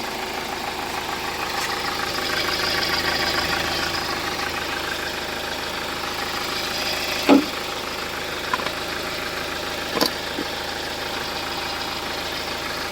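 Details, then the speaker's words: Hyundai Starex diesel idling after DTC P0253 was cleared; history of a burnt alternator wire. Steady, even idle with light clatter and no knocks or rattles; the noise and engine shudder are gone, quiet again. "Ayun, tahimik na ulit. Wala na yung palag ng makina. Yan, tahimik na."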